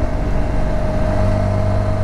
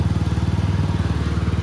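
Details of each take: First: 2021 TVS Apache RTR 200 4V BS6 at 16,000 km, riding with a steady whirring gear whine over the engine, only in third gear, briefly cut during a shift; gearbox fixed under warranty in an engine rebuild. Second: 2021 TVS Apache RTR 200 4V BS6, 16,300 km, after warranty engine rebuild for tappet noise and third-gear whine: quick, even exhaust pulses with low steady thump and no ticking; the engine sounds clean and healthy.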